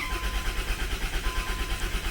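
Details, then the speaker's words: Unidentified Dodge/Plymouth minivan from a Dodge/Plymouth minivan fleet, after sitting: long even cranking at about six pulses a second, never fires; fuel pump heard and oil pressure building, but no spark, and the owner wonders if the coil pack is unhooked. "It's like we have no spark. I know it would crank for a while when it sits, but like this is excessive. Oil pressure building. I can hear the fuel pump. It's got fuel."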